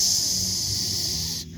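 Loud steady airy hiss for over a second, then cut off sharply: the train's air brakes releasing after airing up.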